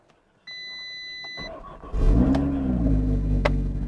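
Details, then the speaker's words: Crash-damaged Cat B Audi RS3, 51,000 miles, serviced a week before the crash, jump-started from a bridged battery: warning chimes, a short crank, then it fires straight up and settles into an even idle; clean, healthy start. "Look at that! Beautiful! Oh, that fired straight up."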